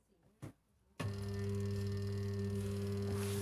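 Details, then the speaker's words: LG WP-1650ROT twin-tub semi-automatic washer not spin-drying, tested with 8 µF capacitor: spin motor gives a steady low mains hum but never speeds up or starts; technician suspects shorted windings from heavy use, unconfirmed. "ไม่ออกเลยไม่ออกสตาร์ทไม่ออกเตอร์มอเตอร์ช็อตรอบมั้ยไม่มีกำลังถอดซะปักรวดไม่ขาดสตาร์ทไม่ออกน่าจะมอเตอร์ช็อตรอบใช้งานหนักเลย"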